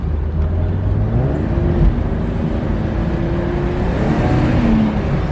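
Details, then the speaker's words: BMW E36 convertible, four-cylinder, OBD1: under full throttle the transmission immediately jumps out of whatever gear it's in; revs flare and fall unevenly as drive drops out. Owner found fluid low and suspects level needs to be higher, not confirmed. "It would immediately jumped out of whatever gear it was in."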